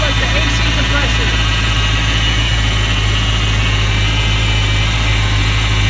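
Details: Chevrolet C10 truck on an update start after degreasing the engine bay, with hard starting: low idle drone with an uneven, loping pulse about once a second, choppy idle, cause not yet found.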